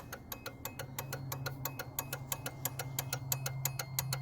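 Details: 2004 Ford Ranger with LED switchback turn signal bulbs, key on, flasher relay under the dash: quick sharp relay clicks about three per second, far too fast; hyper flash from low-draw LED bulbs.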